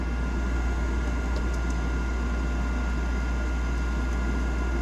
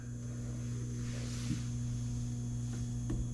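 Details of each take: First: Nine-year-old Trane forced-air gas furnace after replacing the failed draft inducer and reopening the gas valve. The new inducer runs quietly with a low rumble, then the burners catch with a soft whoosh to full even flame; normal ignition. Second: Nine-year-old Trane forced-air furnace that won't heat: combustion draft inducer motor gives a steady low hum and is hot to the touch but does not rotate; possibly the capacitor, so the inducer is to be replaced.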